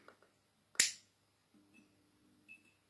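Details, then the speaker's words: MAZDA FEE100 25W first-generation compact fluorescent lamp, ferromagnetic ballast, 230V 50Hz E27, made 1985-1989, apparently little used: sharp high-pitched starter snap, lamp strikes cleanly, then faint steady ballast hum; starter sound higher than expected but healthy start. "Alors déjà, le bruit du starter est assez aigu. Normalement c'est un peu plus grave, je pense."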